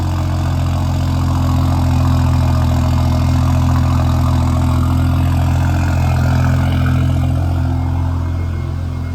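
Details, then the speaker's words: Built BMW 335xi just after new OEM valve cover and gasket fitted, fuel rail and wiring harness reinstalled: low even idle holding steady with no misses, ticks or hunting; running smooth, test drive next. "all right well sounds like she's running pretty good so we'll take her out for a little drive make sure she's good"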